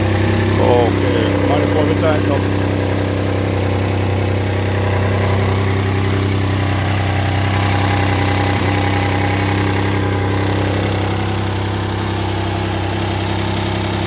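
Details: 2014 Hyundai Santa Fe after engine repair for damaged crank bearings, new water pump fitted: smooth, even idle with steady low hum and no knocks, ticks or misses; engine running healthy.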